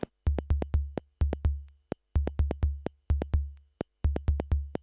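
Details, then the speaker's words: Soundmaster SD-3 Disco Beat drum machine before repair: dull, muffled drum hits without snare noise, each trailed by a low ringing modulated like an envelope; a friend suspects a bad power supply, bench supply to be tried. "but then a friend of mine that has uh a similar unit like this one he told me that his sounds really weird as well when he uses a bad power supply"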